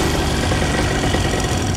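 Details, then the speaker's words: Paramotor two-stroke engine that seized mid-flight, field-repaired despite cracked airbox, cracked exhaust and scorched piston, starts first pull: loud, steady buzzing idle with even beat, no misses or knocks. Normal idle. "So cracked airbox, cracked exhaust, and a scorched up piston. Still runs great. Starts on the first pull."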